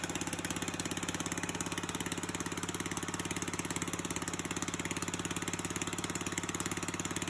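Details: 3.5hp Tecumseh (1989–99, solid-state coil) on an old Murray push mower, after a carburetor rebuild, hand-cranked: it pops along at an even, steady beat with no misses or knocks. Normal running.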